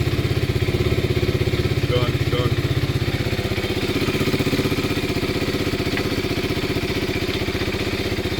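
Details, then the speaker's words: KTM 390 single-cylinder engine swap, first start on jumper pack, engine management light on (service not reset); steady, even putter at idle with firm regular beat, no knocks or misses; running good, normal idle. "It's running good, man. It sounds good."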